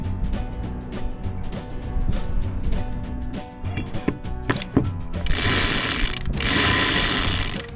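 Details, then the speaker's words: Sailboat winch just serviced, greased and reassembled, drum turned by hand: quick even ratchet clicks about four a second, smoother than the other winch though it still needs more oil; working normally. "It's actually quite a bit smoother than the other one. I think think I need more oil on this one."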